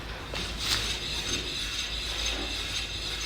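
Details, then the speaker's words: 2005 Scion tC, 169,000 miles, rear wheel spun by hand: light hissing scrape from brake pads after five days sitting in rain, ten miles driven, no play and no bearing hum, so a healthy wheel bearing. "again this is a brake pad right it was sitting for five days in the rain so they make a little bit of the sound I just drove it only ten miles but there's no humming"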